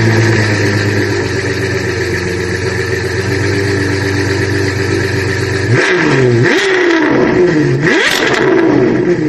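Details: Suzuki Multicab F6A engine: an uneven, stumbling idle that keeps faltering as revs climb and drop. The misfire comes from an oil-soaked spark plug.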